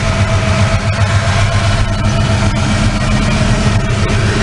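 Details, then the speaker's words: 1988 Mustang GT V8 after fixing wiring faults behind surging: smooth, steady idle with an even low burble, no ticks or misses; normal idle. "I think it's nice sounds good all the sensors are working since they're right there got it working and it's wired incorrectly"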